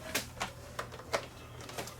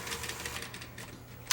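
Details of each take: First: Sony EDV7300 ED Betamax recorder, powered up after manually cycling the loading mechanism: scattered sharp clicks then a harsh rapid ratcheting burst of about six snaps; the mechanism tries to engage the pinch roller but sticks and unloads by itself; binding. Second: Sony EDV7300 ED Betamax recorder, bought broken, after repairing the loading mechanism using a part from a sacrificial mono Beta machine: quiet motor hum, quick run of light clicks and a final snap as the tape loading cycle completes cleanly; normal loading now working.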